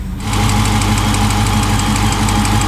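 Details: Dodge Charger 392 V8 idling just after oil change during leak check: deep, steady idle with even low rumble and faint regular valvetrain ticking, no misses or knocks; no leaks found, engine healthy.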